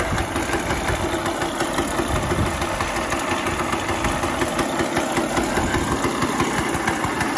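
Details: Elektron scooter, early 1970s, two-stroke, first start after over 40 years stored, 642 km on it, syringe of fuel added: steady buzzing idle with even beat and no misses over several seconds; running healthy.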